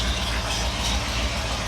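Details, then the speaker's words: Supercharged Ford 8BA flathead V8 on an engine dyno, timing set by ear, blower not making boost at idle: steady, even low idle pulse with a light blower hiss, no knocks or misses; normal idle. "That sounds pretty healthy, though, doesn't it? It does, yeah."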